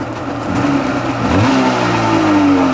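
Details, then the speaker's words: Sea-Doo XP 720 two-stroke, freshly rebuilt, on conventional break-in oil, driveway run on flush hose, driveline disconnected; quick throttle snap sends pitch cleanly up and back with no misfire or stumble: healthy throttle response. "Oh yeah, she's loving it, bro."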